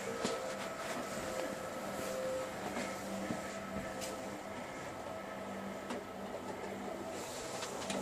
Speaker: it's sounds like it's loose down here it's I'm sorry lose on that base there